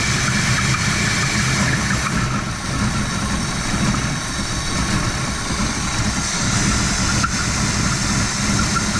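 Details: Old Oldsmobile just restarted on its own fuel tank with the fuel pump and old gas, choke left closed: uneven loping low idle with lumpy pulses and an irregular beat; running rich, later found to be choking itself out.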